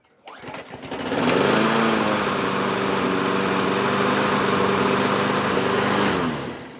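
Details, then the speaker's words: Trash-picked Craftsman 6.5 HP single-cylinder mower after weak-spark troubleshooting and new cable: catches quickly and settles into steady even drone with no misses; running normally. "well guys we got our cable in they've got this thing finished up she fires up"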